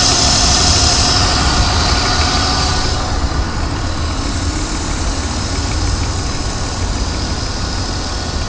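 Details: BMW 323Ci, 22x,xxx miles, at idle: thin steady whine over the rumble, stopping when the clutch is pushed in, also heard revving and driving; transmission clanks on shifting; cause not pinned down.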